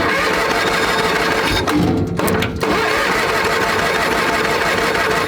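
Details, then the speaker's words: A tractor that sat all winter, cold-started on a GoldenMate 12.8 V 20 Ah LiFePO4 battery, cranks steadily and strongly but never fires or picks up speed. Possible fuel starvation; the owner plans to remove the cover and spray fuel in. "Wow, she really don't want to start. We may have to take the valve, the cover off. Yeah, but that little battery is turning this big baby over."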